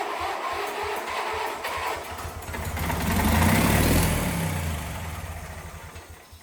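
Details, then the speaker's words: Wheel Horse 520H engine, freed from locked up in about a day, with spark confirmed and gas poured down the carb; starter cranks, it catches on the raw fuel, builds a steady low beat for a few seconds, then dies; carb and fuel system likely need attention. "well it's alive I'm guessing we're going to have to pull that carb off and clean it take a closer look at the fuel system but at least we know we got a runner"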